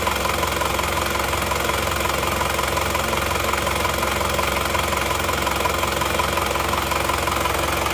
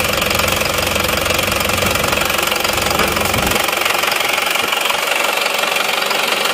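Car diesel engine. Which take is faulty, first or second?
second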